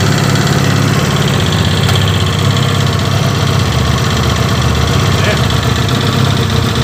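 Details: Comet 250 single-cylinder motorcycle after engine rebuild, during break-in: rough, uneven low thrum with a dull knocking underneath at idle; bottom-end noise, source still unknown.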